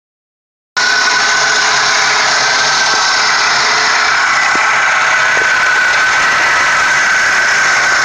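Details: 1998 Toyota Corolla, 190k: steady light metallic clatter at idle, almost diesel-like; owner found about 1/2 inch of up-and-down play in the timing chain and suspects it as the cause.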